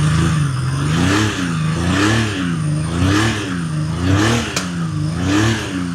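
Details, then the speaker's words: 1979 Honda CBX 1000 inline six-cylinder, about 10,000 miles, apparently restored, cold start on a cold day, mic by exhaust: smooth six-cylinder note with blips about once a second, slight cold splutter; healthy engine warming up. "will splutter a little bit because it is cold, but I'll put the mic down by the exhaust so you can hear it."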